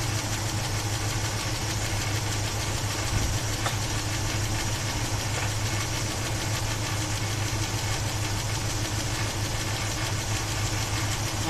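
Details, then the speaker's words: 1976 Chevy Blazer 4x4, 350 Chevy V8, warm idle with hot water hose; light irregular rattle at the top end over a low rumble, louder toward the back, not a hard rod knock; owner suspects a stuck valve lifter, cause unconfirmed; running badly and stalling. "I heard them knocking, and they're loud and hard. This is a rattle."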